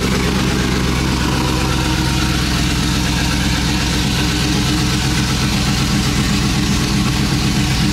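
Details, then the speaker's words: Cammed 5.3 Chevy Silverado, first start after installing long tube headers with no exhaust behind them: very loud, choppy idle with lumpy cam lope and raw exhaust bark, oil burning off the headers; running fine. "very loud yeah you can hear the cab you got oils and stuff burning off the exhaust"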